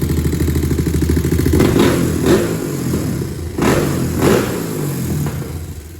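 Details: 2001 Honda TRX400 single-cylinder after valve adjustment: steady idle thump, clean pickup on a couple of blips, settles back; sounds strong and healthy.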